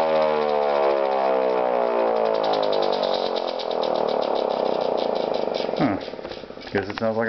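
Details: First test of a homemade Model 2 siren built from a 50-year-old Thunderbolt chopper motor, a new Federal Model 2 stator and an experimental aluminum air tube. The strong tone glides smoothly down as the rotor coasts, with no rubbing or rattle; it sounds healthy.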